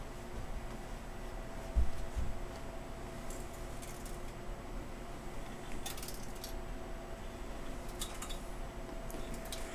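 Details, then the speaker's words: Brand-new Dell Inspiron 3668 desktop with dented case: scattered light clatters and clicks as the case is tipped, a broken plastic piece loose inside. "you hear that there is something loose inside this machine so before I've honored to plug this in we're going to investigate"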